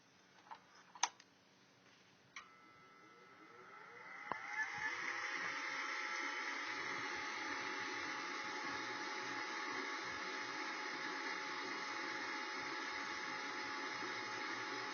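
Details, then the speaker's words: Newly installed Rheem 75,000 BTU gas furnace start-up: a few clicks, then the draft inducer motor spins up to a steady whir. Even hum, normal start. "we're going to turn it on and what's going to happen first the system will start the draft motor this draft motors going to close the pressure switch and the pressure switch is gonna allow the gas to burn and a pilot"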